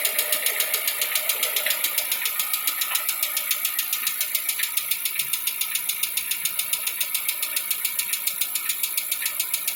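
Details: 2016 Lada Vesta 1.6 cold idle: crisp light ticking about three to four times a second; knock goes away when warm; owner suspects hydraulic lifters and piston slap, reduced after switching to ZIC X9 5W-40 oil.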